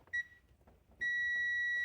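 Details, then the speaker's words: Honda Rancher 420 stator, multimeter continuity on ohms with sound between the three yellow wires (1–2, 2–3, 1–3); beep and steady tone, reading 0.2, 0.2 and 0.3 ohms, within the 0.1–1 ohm spec, so the windings are good. "We have 0.2, 0.2, and 0.3. So that's the first test, and those are all good."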